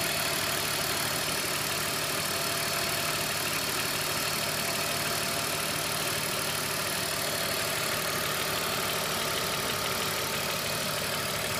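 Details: BMW E39 525i with M54 engine at idle: a light, irregular ticking knock about three times a second over a hissy background, with idle speed hunting up and down, pointing to a knocking VANOS unit.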